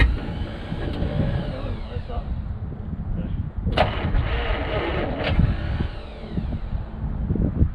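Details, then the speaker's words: 1951 Studebaker Champion with Autolite 4157 starter, first start attempts: uneven chugging cranks with sharp coughs and smoke that never catch into a steady run; fires but won't keep running, starter kicks out. "thank you see that's trying you know it's coughing and smoking like it's trying to run"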